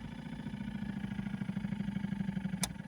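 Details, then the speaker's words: Opel Combo heater blower motor, removed: low droning hum with a slow uneven pulse, turns poorly but no squeal, then stops; motor binding and seizing. "Досить погано крутить, але не пищить. І вот стопориться."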